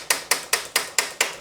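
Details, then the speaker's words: HUP youth XC carbon race bike with Shimano XT shifting, after rerouting the internal gear cable: six crisp shifter clicks with no cable rattling in the frame. "That's much better. That's just the shifter. You can hear is not rattling around in the frame."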